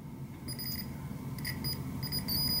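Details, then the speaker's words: Rev 0 Apple II repair, logic probe on pin 3 (address line A5) of the F8/F0/E8 ROMs: steady high probe tone with fluttering pulse bursts; address line toggling normally. "So if we just put the logic probe on pin 3 Everything sounds fine."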